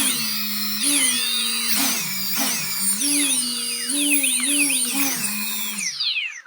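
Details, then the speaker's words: Home-built cheap quadcopter on the bench, motors spun up at low throttle while pitch and roll stick inputs are given; rear motors spin up when pushed forward, pitch stepping up and down cleanly with each input. Normal motor response. "So you could spin the motors up a little bit and do some pitch and roll movements and just listen for the change in tone to see that that your pitch and roll is actually being listened to."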